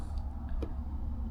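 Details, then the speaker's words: Relay bench test in a Gulf Stream Endura motorhome while driving: faint clicks as power is applied over low engine rumble, no continuity-meter beep; coil clicks but contacts fail to close, bad relay versus good one that beeps. "putting power to it nothing so you hear clicking and the meter is not beeping"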